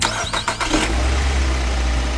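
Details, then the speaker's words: Car that would not start despite a new throttle valve and checked plugs and coils, restarted after a part was cleaned and reinstalled: cranks briefly and catches at once, settling to a steady, even idle; normal start, problem solved. "look one success try again success again the power is very strong the problem has been completely solved"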